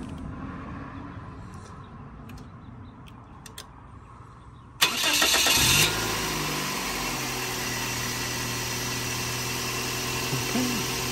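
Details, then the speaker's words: 2006 Scion xB, burning oil, just after a PCV valve replacement: quick crank, clean catch, then a smooth, even idle with no misses. Normal, healthy start and idle. "sounds good. Healthy. Sounds very healthy."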